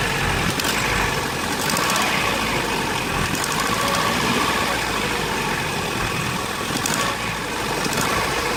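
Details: Vauxhall Astra G 1.6 8v X16SZR, heavy misfire when cold but fine warm, clicking always present when accelerator pressed; uneven running with stumbles and scattered clicks, cause unknown; misfire and clicking noise.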